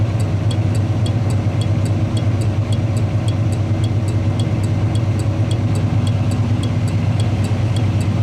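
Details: '81 Chevy truck idling, factory Tung-Sol 224 thermal turn signal flasher relay reinstalled after testing HM 552s, left-hand turn: crisp even clicks just under two a second over steady idle; normal flasher operation.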